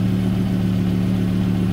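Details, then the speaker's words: 2009 Volvo S60, 175,000 miles, idling just after replacing the original fuel filter while checking for leaks, none found: a smooth, steady idle with an even low hum and no misses, ticks or knocks. Normal idle. "the next step is we've got to start the car and make sure this doesn't leak as you can hear the car is running and over here no leaks there no leaks"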